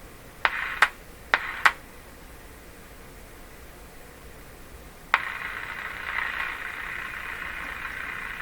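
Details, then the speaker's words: Canadian Westinghouse Model 684 radio with a silent receiver: metal held near the local oscillator coil shifts its frequency, giving a few clicks, then steady atmospheric static that fades. Radio noise returns when the oscillator coil is disturbed. "We can hear it now. You can hear the radio, atmospheric noise."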